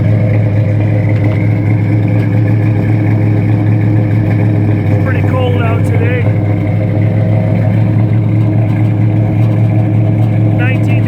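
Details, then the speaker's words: 1971 Plymouth Roadrunner V-code 440 Six Pack V8, original N96 Air Grabber, cold start after being moved out of a 55–60°F showroom. Deep, steady, even idle rumble; no unusual pinging or knocking heard. "Engine sounds nice, don't hear any unusual pinging, no unusual knocking."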